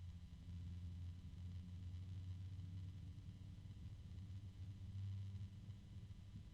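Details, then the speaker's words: PC case fan at minimum speed gives a quiet, deep steady hum with a faint grumble; the speaker assumes the bearing. "I think that's a harmonic resonance right now now this is on the low setting"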